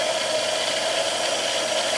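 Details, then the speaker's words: Mill spindle after gear-to-belt drive conversion, around the old maximum of about 3,000 RPM, far quieter than the old geared system: steady even whir with clean mid-pitched tone, no knocking or grinding; normal spindle run. "It was entirely too loud to do that. That was at 3,000 RPM. At 3,000 RPM, this thing's almost whisper quiet."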